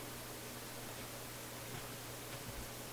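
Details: Philips console stereo receiver/amplifier with intermittent crackling, on the auxiliary input after freeze-spraying a suspect resistor: steady hiss across the range with a constant low hum and no program audio; source not yet traced.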